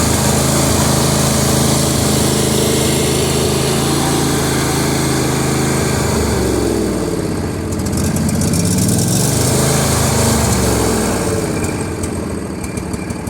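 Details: L118 engine with no choke, idle start and stop: a loud single-cylinder thump runs slow and a bit uneven, then its pitch wavers as speed shifts; the idle sits too low.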